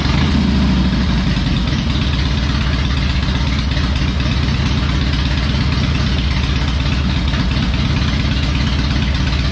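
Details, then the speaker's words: Harley Electra Glide restarted after work on its loose spark plugs and air filter. Steady, even V-twin idle with a consistent loping beat and no misses or ticks; now running better, clean idle. "so we'll start it back up let's see if she's running good still sounds good i think"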